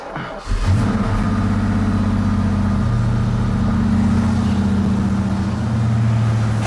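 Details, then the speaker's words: 1986 Ford Mustang EEC-IV, after replacing a bad ignition module: steady, even engine note with a regular firing beat and no misses or stumbles; running normally. "that sounds better than it has bad module"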